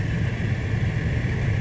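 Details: 2014 Ford F-150 XLT 3.5L blower motor, speed raised to max by increasing the PWM on-time, drawing about 20 amps; steady rushing air over a smooth hum with no rattle, squeal or hunting.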